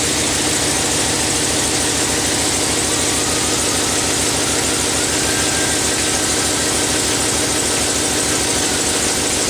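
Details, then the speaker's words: Chevrolet Silverado 6.0 V8 idling after water pump replacement while burping coolant: fast sharp ticking puff over exhaust note from a leaking exhaust manifold. "I can hear it. I got an exhaust leak. It's from the manifolds."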